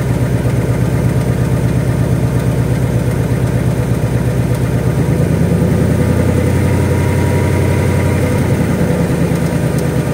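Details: 2018 Mustang GT V8 idling with fast light typewriter-style tick that comes and goes over the burble; owner wonders about rod knock or piston slap, cause unconfirmed.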